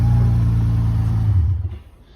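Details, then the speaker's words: 2014 Dodge Charger 3.8-liter at a towing auction, jump-started and moved backward and forward; low, even rumble with no knocks, ticks or misses, sounds pretty good. Normal idle. "She started right up with the jump. Engine actually sounds pretty good."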